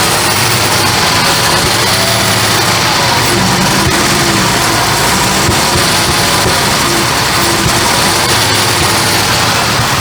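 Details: Barn-find Jaguar Series 3 V12 first started after fuel tank and sender work: loud, busy idle with a slightly uneven beat under the hiss and the odd stumble; definitely misfiring a little, cause unclear.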